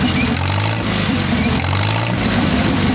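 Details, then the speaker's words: Farmall H tractor idling with a new proper exhaust pipe, after a carburetor rebuild that stopped a leak, and fresh oil: steady, even idle with firm exhaust bark, no misses or stumbles; idling normally. "so yeah that's what she sounds like now that i rebuilt the carburetor i don't have to worry about running the carburetor out of gas so it don't leak anymore which is nice"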